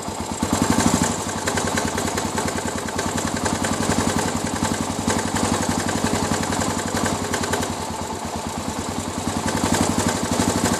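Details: Suzuki DR 800 big single idling at night: loose, uneven knock riding on each firing pulse, a few per second, coming from the engine; source unclear.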